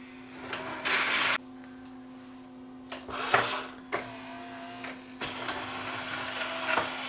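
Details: Yamaha 5-disc CD changer after load belt replacement: short whirring motor bursts as the tray opens and closes, each stopping cleanly with no slipping or strained hum; loading mechanism working normally.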